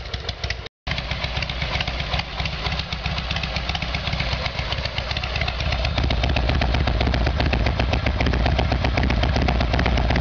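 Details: Harley-Davidson Evolution Sportster, cold start on choke after carburetor fix: lumpy but steady twin-cylinder beat about four pulses a second, firming up as it warms; sounds much better, carburetion now right.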